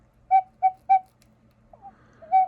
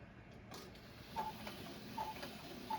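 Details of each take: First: Vintage gravity-driven wall cuckoo clock, bellows freshly rewrapped with paper: three short clear whistled notes then one more after a pause, same pitch; the cuckoo call voices properly. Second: Vintage gravity-driven wall cuckoo clock, before repair: steady tick about eighty a minute runs past the hour with no chime or cuckoo call; the bird only wiggles the door and can't come out, so the strike isn't working.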